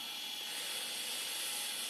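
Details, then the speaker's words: IBM ThinkPad 380D laptop with 48 MB RAM booting Windows 98: constant loud high hiss and whirr from the hard disk drive, very noisy; owner suspects the worn drive is close to failing. "Oh yeah, that hard disk sounds healthy. Very noisy."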